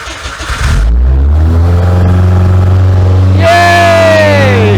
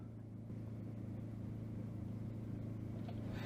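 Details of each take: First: Hillman Imp "Hilda" with a Citroen Saxo VTR engine and motorbike carbs, off the road two years, first start, carbs leaking: starter churns, engine catches into a rough idle, revs rise and ease back. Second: Hillman Imp fitted with a Citroen Saxo VTR engine, off the road two years: fuel pump running via a Saxo inertia switch, but the starter churns steadily at three to four beats a second and it never catches because the tank is out of petrol.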